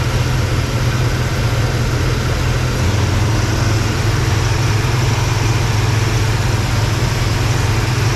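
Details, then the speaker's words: 1955 Chevy Bel Air hardtop V8 after loose power steering belt fixed, fan blade replaced and Edelbrock carb repaired: deep, even burble at steady idle with no squeal, miss or knock; belt squeak and fan noise gone. "no fan belt squeak or power steering squeak uh the uh fan blade itself uh no longer has the obnoxious sound so you can hear the the belt definitely got the belt fixed so yeah no more squeaky belt"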